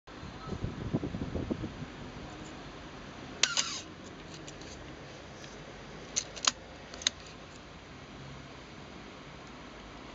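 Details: Canon AE-1 Program camera firing: a short, high, squeaky whir at the shutter release, caused by dried lubricant in the aperture control gears.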